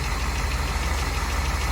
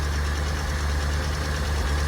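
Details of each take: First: Dodge Challenger with 318 V8 at idle after a cold start: steady deep idle with a faint light tick at engine speed; owner attributes the tick to a slight exhaust leak, not confirmed. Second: Dodge Challenger V8 with a carburettor choke, started only every couple of months, now warmed up after a choked cold start. It holds a steady, deep, even burble at idle with no misses or knocks, and the transmission shifts fine: healthy.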